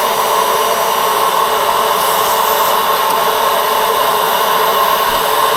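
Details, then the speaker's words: Dyson vacuum (1,100 W) powered by DJI Power 1000, vacuuming hair, dirt and pine needles outdoors: strained high whistling whine at near-steady pitch with little suction rush; something got stuck, debris clogging the airflow path. "that sounds like it's stuck somewhere yeah problem something got stuck"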